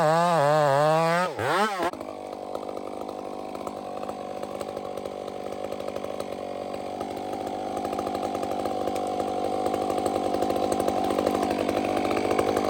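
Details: Chainsaw on a hazard-tree removal screams at high revs, then the pitch sags and wavers as the cut loads it. The bogging under load is consistent with a rich-running saw.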